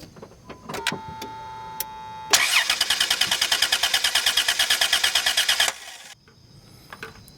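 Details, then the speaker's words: 2005 Dodge Grand Caravan: about three seconds of quick even cranking with no spark and no start. A shorted EGR valve was pulling down the 5 V reference supply, and the EGR valve was replaced. Crank, no start. "It'll crank but won't start, so it'll turn over with the key but it won't actually start up."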